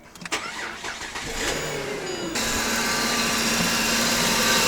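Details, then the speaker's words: Newly bought AWD car at startup: engine cranks and catches, then idles with a steady low whine and loud hiss; power steering pump very noisy and judged on the way out, not leaking, fluid present. "can kind of hear that you have a very noisy power steering pump it's not leaking and there is power steering fluid in there if you can see the power steering pump is on the way out"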